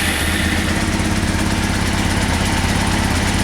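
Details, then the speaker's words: 1998 Honda CBR after a carb rebuild with a kit, new plugs, K&N filter and fresh fuel, with the idle cable off: loud, uneven, lumpy chugging about three beats per second, seemingly on only some cylinders. Owner suspects a vacuum leak; it would likely die on throttle. "sound like she's running on a couple cylinders sounds like she has a vacuum leak like try to give it any gas it'll probably die"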